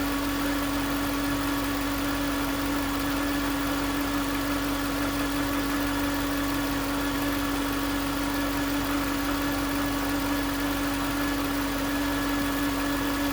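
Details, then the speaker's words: 2009 Range Rover Supercharged, 4.2 supercharged V8 at idle, with a steady mid-pitched whine first suspected to be the supercharger. Touching the alternator housing pinpointed the alternator as the source, and it was replaced. "It was obvious that that's where the whine was coming from."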